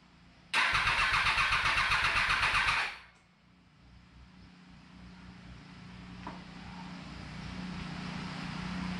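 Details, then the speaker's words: 2020 bike after reassembly with newly changed fuel pump; starter spins at a steady quick rhythm for about two seconds but never fires; crank no-start, owner suspects fuel pump as no prime was heard. "It's not very promising. Think it's the fuel pump because I didn't hear the fuel pump prime and I just changed the fuel pump."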